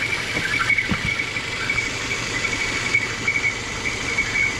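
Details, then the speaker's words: Citroen C4 hatch at idle: a steady high-pitched whistle over an even idle, with a slight stumble from incorrect manifold pressure. The whistle comes from the valve cover's PCV breather, and a new valve cover has been bought. "esse aqui é o famoso defeito no setor Oeste i um barulho muito chato a pessoa termina tocando várias coisas e não detecta o problema"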